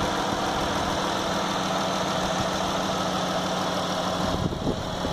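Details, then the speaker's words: New 2016 Dodge Grand Caravan 3.6L VVT V6 with 7,000 miles, about 20 seconds after start, settles into a quiet smooth idle with faint slow soft ticking; normal engine sound. "you can hear you know about 20 seconds into starting up it it really quiets"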